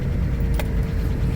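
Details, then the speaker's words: 1993 vehicle cold start, apparently sitting since the last video: catches immediately and settles into a steady, even idle without stumbling; normal cold start. "Fire's right up, though."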